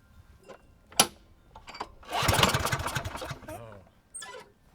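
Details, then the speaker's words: Free Craftsman mower (model 917.370431, Briggs engine 126m02-1525-f1) that would not start: after tightening a zip tie, spark restored and the engine cranks in rapid chuffs, nearly catches then dies; dirty carb and broken cable also found. "yeah that was it zip tie wasn't tight enough it almost went we have spark now so let's try it again"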